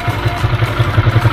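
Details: Motorcycle with PE28 carburetor, just after replacing the red Samco intake manifold rubber between carburetor and manifold: steady, even low thump roughly eleven beats a second, no misses or clatter; idling cleanly.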